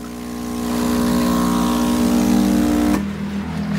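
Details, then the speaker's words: New ACO-006 80W air compressor (0.03 MPa, rated 88 L/min) for a fishroom, run alone after the old one was unplugged: steady, even buzzing hum with no knocks or rattles, then stops; working fine. "Nugot ko na isa, so tahimik na. Ayan, gumagana naman siya guys."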